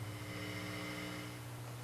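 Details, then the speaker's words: Fender Hot Rod Deluxe tube guitar amp after replacing the bad filter capacitors, fully assembled, volume full up: only a faint steady low background at the speaker, very little to no hum; amp idles quietly and healthy. "so here it is fully assembled and I'm going to bring the Volume Up full bore so you can see there's very little to no hum with the amp"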